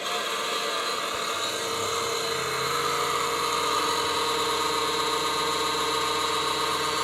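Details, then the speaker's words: Creality CR-10S 3D printer control box: a steady raspy buzz with a high whine over it, random noises starting when the control unit is flipped over; the cheap power supply fan is noisy. "yeah it's this cheap power supply fam that's making the noises"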